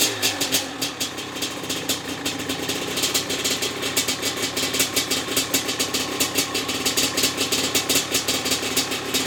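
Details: Maico 660 big-single two-stroke after new reeds, reed intake and jets: crisp even popping at a slow steady idle without stumbles; started and restarted easily, idle needed adjusting; runs well.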